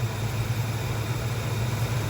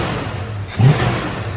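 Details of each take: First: 1968 Dodge Dart with 360 V8, 727 automatic, single-point distributor, new mounts, cold on choke/fast idle; timing moved from 10° ATDC to 21°, steady low droning hum, no misses: timing too advanced. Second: 1968 Dodge Dart with a 360 V8 and 727 transmission, after setting timing (20° base, 16° curve), retuning the mixture (an extra quarter turn out) and lowering idle speed: one quick rev blip that picks up cleanly and drops back without stumbling; peppy, healthy throttle response.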